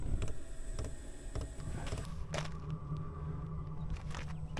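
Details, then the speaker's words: Diesel air heater after fuel screen change, running: sharp light ticks over a low steady hum as the wall-mounted fuel pump doses micro bursts of fuel; normal diesel heater fuel pump ticking. "See, now you can hear my pump back there. It's that oblong thing at an angle on the wall. You can hear it ticking away."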